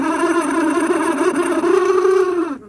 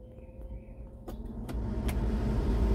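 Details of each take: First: Original blower motor on a Jeep Comanche MJ, run after cleaning its electrical connections: a droning whir with a wavering, rough pitch that sags as it winds down. Obviously bad; a Four Seasons replacement was ordered. Failing blower motor. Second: Jeep Comanche MJ with a newly installed replacement blower motor, key on at the maximum setting: a smooth rush of air over a low even hum, no squeal, tick or rattle. The resistor works, but air isn't reaching the vents. Normal blower operation.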